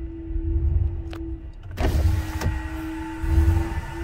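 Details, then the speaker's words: 2021 Ram 1500 5.7L Hemi at idle: lumpy V8 idle that surges, sags and stalls, with the engine light flashing, a dead miss on cylinder 1 from loss of compression. "see it's surging it's it's struggling to run it actually well it's just stalled right there so so we definitely have a misfire engine lights flashing uh surging struggling to run"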